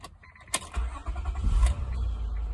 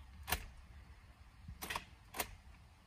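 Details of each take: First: 2006 Honda Accord 3.0L, high mileage, after cleaning the corroded starter solenoid signal wire and terminals: quick click, short crank, then a smooth low idle; starter engages properly. The old battery is weak and needs replacing. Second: This vehicle is a 2006 Honda Accord with high milage symptoms are engine will not crank , all you hear is the clicking sound from the engine starter motor.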